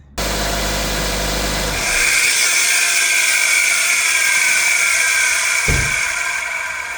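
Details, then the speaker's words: 2002–06 Nissan Altima 2.5, before alternator replacement: a loud, steady high-pitched whine over the running engine from the failing alternator. After the new alternator it runs quiet. "You see that? Loud ass noise. And now, you see, it's quiet now."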